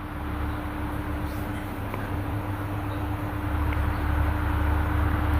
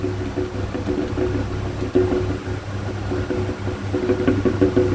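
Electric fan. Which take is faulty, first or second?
second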